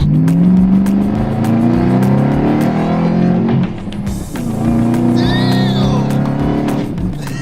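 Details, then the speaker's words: Ford Shelby GT500 Mustang supercharged V8, repaired after an engine bay fire (fuel system, wiring harness, ECM burned) and off the road for years; strong pull up through the revs with rising supercharger whine, smooth and clean under load, no knocks. "Dude, that supercharger sounds mean. God damn, boy. Oh, that sounds good. Dude, it's pissed off."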